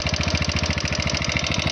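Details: TVS Apache RTR 160 4V at 41,000 km, bad noise from the head: at idle a hard, even tapping about thirteen times a second with metallic clatter on top; tappet first suspected, found to be piston slap plus worn rocker arm.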